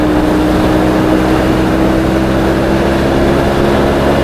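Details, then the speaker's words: Triumph T140 twin on the road with AMAL Mk2 carbs, bigger 210 main jets, 25 pilot, 2C3 needle mid clip, 2.5 cutaway, warming up: steady twin drone pulling evenly, instant response, no dead spot or hesitation; intake drone from filter boxes. "and if you look it's just instant there's no dead spot or nothing"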